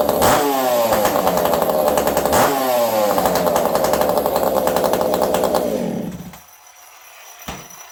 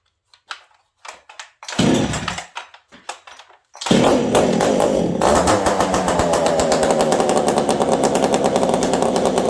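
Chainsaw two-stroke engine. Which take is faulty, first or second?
first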